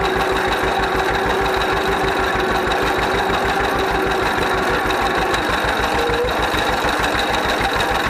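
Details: 1931 John Deere GP two-cylinder tractor, first run after carburetor repair. Slow, even pop-pop at about three firings a second, no misses or knocks; idling steadily and healthy, smokes a little.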